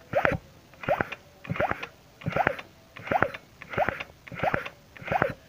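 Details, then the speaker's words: Yamaha F1ZR 110 two-stroke with weak low-end pull, spark plug removed, crank turned forward by hand, mic at the magneto side: wheezy sucking hiss with a periodic squeak. The crankshaft seal is leaking air. "di sini ada bunyi di belakang masih ada bunyi ada bunyi seperti hisapan seperti itu ya"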